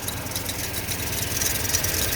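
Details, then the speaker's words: 2000 Toyota Tundra 4.7 V8 automatic, engine reportedly replaced, idling with an uneven stumbling pulse, flashing check engine light, shakes more when driving; misfire traced to crossed ignition coil wires and a damaged coil connector. "ta que está este flasheando la luz del check engine y está temblando tiembla mucho el carro más cuando ya avanzan"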